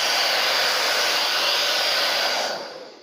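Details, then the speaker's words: TAIFF 2100 W titanium hair dryer after cleaning and lubricating its motor to cure loud screeching: steady even airflow hiss, no squeal or scraping, until switched off; motor sounds healthy. "pronto eu fechei aqui já pluguei na tomada e vamos acelerar agora [Música] já parou de gritar tanto"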